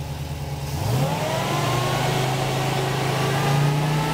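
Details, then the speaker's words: Engine with Holley Sniper EFI, magnetic pickup distributor, static timing 15 degrees, fuel pump relay reinstalled; catches within a second, steady even run, then revs rise smoothly; normal start and rev. "go ahead and try to start it [Music] then bring the RPM up a little bit"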